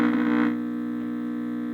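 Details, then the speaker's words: Kerenola Trav-Ler AM tube radio, swapping filter capacitors at the two cathodes: steady low buzz, loudest then settling; removing one capacitor cut some hum, moving it elsewhere made it worse. "oh just taking that off got rid of some of the hum okay i'm gonna move that one over move it over to there okay that's worse"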